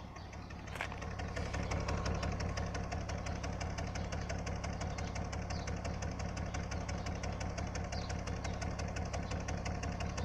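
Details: BMW E46 325i at idle: steady stumbling thump about three beats a second instead of a smooth purr, a cylinder misfire from a faulty ignition coil, fixed by replacing the coil.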